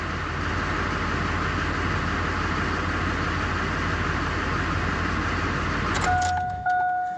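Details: 2002 Chevy Silverado 2500HD LB7 Duramax at about 255,000, third set of injectors fitted (old ones carboned), brief first run: steady even low diesel idle clatter six seconds, shut off, chime; oil pressure up, idles normally.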